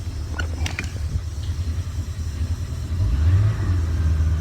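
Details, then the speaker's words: 2005 Bayliner 219SD boat engine, run a few minutes, warming up with good oil pressure and idle, throttled up a touch: smooth even exhaust rumble swelling, no knocks or misses; engine runs well. "But the engine runs very well. It's a good engine."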